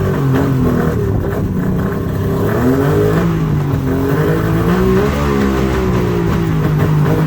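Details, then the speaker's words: Mercury two-stroke outboard on water muffs after new fuel-water separator and new plugs, on high idle choke: loud low drone whose pitch wanders at idle; running on all cylinders but idle needs adjusting. "but H hm h H might need to adjust the uh idle"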